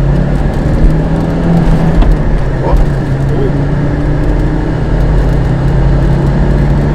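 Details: 1985 Audi 200 Turbo Quattro Avant 10V five-cylinder while driving: low steady drone under road noise, even and smooth with no knocks, ticks or misfires; engine sounds healthy.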